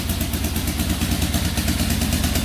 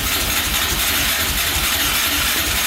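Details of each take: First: 2004 Yamaha Raptor 660 quad just started after carburetor refit, tank cleaning, fresh fuel, new gas line, exhaust straightened and an added quart of oil: steady even single-cylinder idle, no misses or knocks, idling perfectly while oil circulates. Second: 2004 Yamaha Raptor 660 quad, rough condition, fresh oil, gas poured down the carburetor, choke pulled by hand: starter spins about 3.5 s with a steady whir, never catches; no-start.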